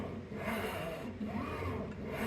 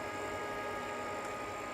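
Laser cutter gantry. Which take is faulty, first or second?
first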